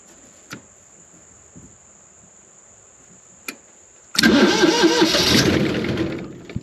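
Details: Cummins 5.9 12-valve diesel motorhome engine sold as a non-starter, starting on fresh-charged batteries: quiet, then it catches abruptly and settles into a strong, steady run without stumbling; a good clean start.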